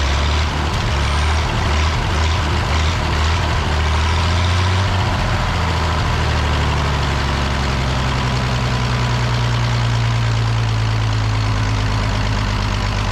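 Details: The Rockabilly Rat, an old truck engine, catches after spark and timing work and settles into a steady low idle, a little rough at first, then evening out; running again.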